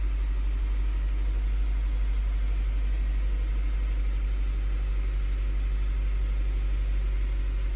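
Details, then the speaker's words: Honda CR-V at cold idle after new spark plugs, plug wires, valve cover gasket and an oil change: a low, even idle pulsing about four beats a second with no stumbles; the earlier slight cold misfire is gone. "Doesn't even like, because when I would turn it on, it was cold too. It would like kind of like it did have like a little misfire, but now it looks like it doesn't even like misfire at all."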